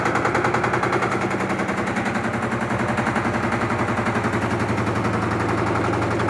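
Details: LT13B washing machine, suspension test during spin: fast, hard knocking three or four times a second, drum slamming the cabinet; loud suspension noise, likely unbalanced.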